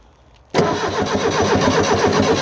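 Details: Abandoned Fiat Hitachi FH150 excavator diesel with reported engine problems, during a rescue start attempt: the starter turns the engine over with an even chugging rhythm, but it never catches and runs on its own; cranks but does not start.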